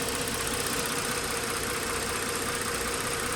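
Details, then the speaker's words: 2009 Lincoln MKS 3.7L after replacing failed cylinder 5 ignition coil (P0305): even idle hum with no stumbles or dropped beats; misfire gone, normal idle. "y confirmamos el carro ya no está ya no está fallando como estaba antes"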